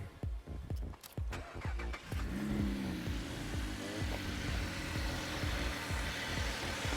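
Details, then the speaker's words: LFX engine with a newly installed RXP twin catch can: brief crank, catches and settles into an even steady idle, no stumbling or hiss; catch can valve then opened, audibly affecting idle as it sucks air. "i'll open and shut it a couple of times that's a lot of air you can actually hear the idols affected when i do that as well that's actually sucking in it sounds like it's blowing but it's not"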